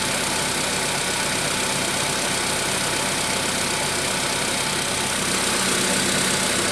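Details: VW Polo Sedan 1,000 km after piston replacement: steady idle carrying fast, fairly even tapping about four per second under hiss; engine knock at idle.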